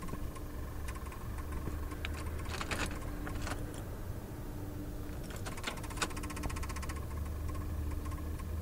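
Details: 2005 Ford Crown Victoria won't crank: bursts of rapid, light clicking with no cranking at all; the engine never turns over.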